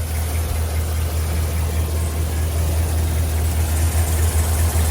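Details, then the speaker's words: 2015 Chevrolet Silverado 2500HD V8, high mileage, after exhaust manifold gasket replacement: deep, steady idle with smooth even pulse, no puffing or ticking from the manifold; P0324 knock code recurring; normal idle. "definitely not leaking like it was there so okay guys so seems like it's running way better now"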